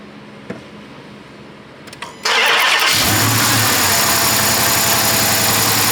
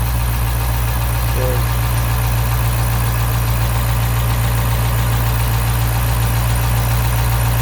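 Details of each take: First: Dodge Charger 5.7 Hemi with coils swapped between cylinders 3 and 5; it cranks, catches and idles with an uneven stumble, misfire staying on cylinder five, a suspected mechanical fault. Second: 2012 Dodge Charger 5.7 Hemi after misfire repair, lifters pumped up: low steady idle with even rumble, no ticking left; normal healthy idle.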